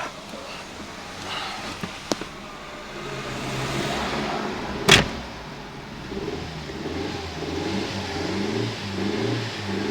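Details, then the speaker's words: 1997 Nissan Almera/Pulsar N15, GA14DE engine, about 162k km, first start after about 9–10 years sitting: quiet, uneven stumbling idle and revs, running on about three cylinders; owner blames fouled spark plugs, and cleaning them restored four-cylinder running. "So yeah, it started on like, it must be on 3 cylinders now."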